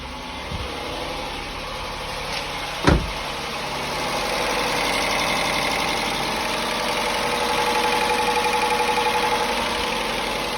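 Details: 2004 Mitsubishi Galant 3.8L V6 (6G75 non-MIVEC), after water pump and timing belt replacement: after a couple of clicks the engine settles into a steady, even idle hum with no knock or squeal, running normally.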